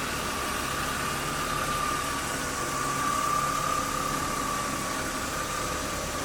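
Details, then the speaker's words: Warm 1997 BMW 328i E36 after sitting, idling evenly with a faint steady whine and no top-end ticking; initial lifter chatter cleared; temperature gauge normal. Normal warm idle. "it's pretty quiet that a little lifter chattery had it first went away i guess chess has been sitting the oil pressure had to deal back"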